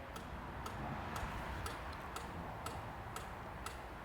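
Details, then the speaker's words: 2002 Renault Master 2.2 dCi van with no power, no fault codes and heavy black smoke: the EGR valve actuator, freed after sticking, gives weak little clicks about twice a second over a quiet hum, getting louder as it cycles under a test tool. "it's getting worse it's getting better now get a bit better little clicks getting louder"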